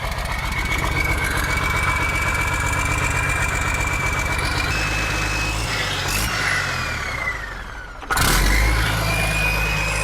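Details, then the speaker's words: Turbo diesel revived after tightening a fitting and switching off the engaged stop/kill switch: steady, even clatter at idle, revs sag then blip cleanly, and it keeps running smoothly with turbo sound. Normal running. "Golly. Yeah. That's awesome, dude. That's totally awesome. You can't beat that turbo sound, dude."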